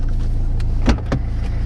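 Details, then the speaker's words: 2003 Citroen C3 1.4 HDi diesel shortly after starting: a steady rumble with even clatter and a brief rev blip, with no chuffing. The injector seal problem is ruled out by sound. "No, definitely not chuffing. So it's not the injector seal problem by the sound of it, because it would be rattling its brains out and chuffing away as soon as you tighten it up."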